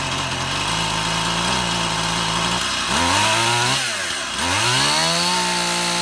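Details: Stihl MS171 chainsaw that wouldn't start, new ignition module fitted, run outside: revs surge, sag and climb unevenly, only running while the choke is operated; fuel restriction, engine starving for fuel from a carburettor issue.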